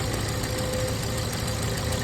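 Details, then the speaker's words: 2013 VW Jetta 2.0L at idle with AC on: steady whirring hum with faint whine that eases as the fan slows after switching off, fan wobbling; noisy radiator cooling fan. "but as soon as this this one is turned on it will make a noise so now I'm turning on AC and let's see the fan is turning on. See, it is also wobbling."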